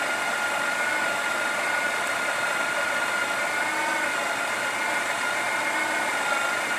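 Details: Breville Oracle espresso machine after a full service for a loud noise: the built-in grinder at grind setting 12 gives a steady, even motor whir with a thin high tone, running normally.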